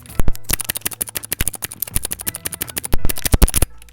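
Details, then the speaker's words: Mechanical keyboard, I key switch before lubing: rapid run of sharp, hollow key clacks with a dry, slightly scratchy edge on each press, typical of an unlubricated switch. "This I key also isn't lubed up. So make sure you hear that."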